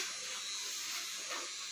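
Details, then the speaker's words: Yamaha R15 V3: fuel pump gives a steady high electric buzz with ignition off and key removed, running continuously; the reason the bike arrived pushed, wiring being traced. "ini berdengung padahal posisi kontak Ini off bahkan tidak ada kontaknya ya ini selalu berdengung terus dan tidak"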